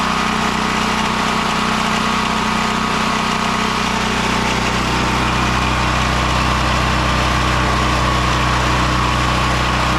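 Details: Westinghouse WGen9500 generator (12,500 peak watts) after no-spark repair: steady even drone with no misses or stumbles, holding speed with heavy smoke; running normally.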